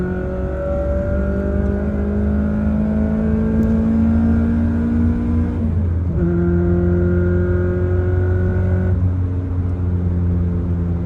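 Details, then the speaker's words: AE86 Corolla after swapping the rattling short shifter back to a rebuilt stock shifter: clean engine pull through the gears with a smooth shift, no buzzing or rattle from the shifter; healthy. "oh this is great no rattle at all I can really enjoy the Driving [Music] Experience"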